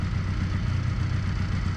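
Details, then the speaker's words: 1981 Honda CM200T twin after new carburetor with idle and mixture screw adjustments, just started on choke and warming up: steady, even low putter with no misses or stumbles; idling smoothly. "We'll let it warm up for a little while."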